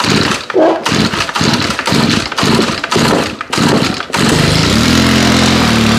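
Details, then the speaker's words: FS90R trimmer, cold start at about 30°F after 5 months on untreated ethanol-free fuel, primed with full throttle. Several pulls, then it catches, smokes a lot and sits at a low drone that won't pick up: bogging with choke left on. "smoking a lot oh i am the dumbest person in the world forgot to take the choke off"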